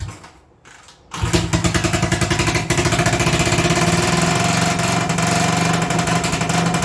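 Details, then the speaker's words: 1980 Honda XL250S, sat unrun six to eight months, started with starter fluid after no-start troubles: catches after a second of quiet and races straight to high revs without settling, kept from over-revving with the kill switch. "well it runs it was running away but it runs"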